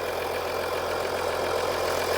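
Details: 2014 Audi Q7 3.0L after valve cover gasket replacement, no oil or fuel leaks found: steady, even idle with smooth hum, no knocks, ticks or misses; engine sounds healthy, repair done.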